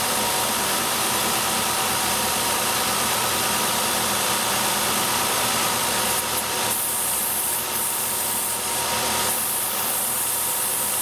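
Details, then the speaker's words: Ford/Mercury V6 with P0171 and P0174 system-lean codes at idle: steady airy hiss from a vacuum leak where a part has collapsed, changing as the leak is covered by hand or a finger plugs the hole; the part gets replaced. "if you stick your hand on underneath there there's a vacuum leak where that part collapsed U maybe you'll be able to hear that"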